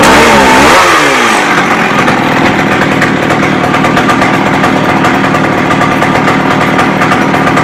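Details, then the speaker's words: McCulloch 610 chainsaw after a carb cleaning and turning the high-speed screw out another quarter turn: it snaps up from idle to a high, steady scream and holds it cleanly without bogging; runs well. "okay so basically I got it adjusted so it runs good revs up everything"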